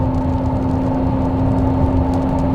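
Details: 2022 Hyundai Santa Fe with the 8-speed DCT (8DCT): a steady high whine over road and drivetrain hum that grows louder with speed. Worn transmission bearing; the gearbox failed catastrophically and was replaced under the drivetrain warranty.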